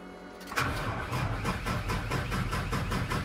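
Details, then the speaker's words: 2007 Thomas Freightliner FS65 bus with Mercedes-Benz MBE900 diesel (210 hp at 2200 rpm) and Allison automatic, sat for many months: even starter chugging at about three compression strokes a second without catching; slow to start, then started on a retry. "okay let's let her have a second now you see these noises coming from the boss let's try her again ah right up start right out there with him it was just confused for a moment actually they've been sitting for many months now"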